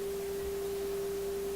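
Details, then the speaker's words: Viking console stereo during AM alignment, signal generator tone peaking at 455 kHz: a pure, steady test tone comes through loud and clean with no drift or warble. The IF stage is well aligned. "right there. Okay, and you see it's right on 455, so that's a really good indication already that this radio is well aligned."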